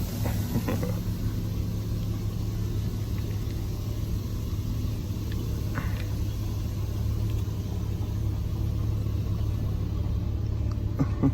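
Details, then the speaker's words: 1986 Dodge D150 Royal SE, 225ci six-cylinder, after transmission rebuild with new reverse servo and reverse band, just over five quarts fluid added: steady low idle rumble as reverse engages right in and truck backs out, no clunk, slip or whine; normal reverse engagement. "let's check out reverse oh right in it's backing out"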